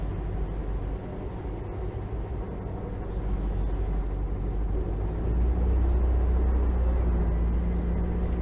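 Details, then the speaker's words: 1973 VW Thing, sat 20+ years, first drive with newly installed engine after front brake work: steady low thrum building smoothly as it pulls away, even beat around three per second, no knocks; sounds much better, normal running. "It sounds so much better."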